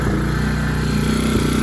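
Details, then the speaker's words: Tao TBr7 250cc dirt bike after swapping in PZ30 carburetor, idle being tuned down to correct speed: steady even single-cylinder popping idle, no misses or clatter; normal idle. "Everything sounds good. Here I tune the idle down to correct idle speed."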